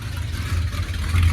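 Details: 1971 Ford F100 Sport Custom, 302 V8 with 3-speed column manual, cold start after sitting since December 1 with a rebuilt carburetor still needing tuning: deep, uneven rumble with a rough puffing edge from an exhaust leak right after the headers.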